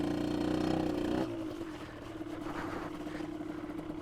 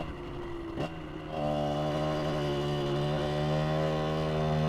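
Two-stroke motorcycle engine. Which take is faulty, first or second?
second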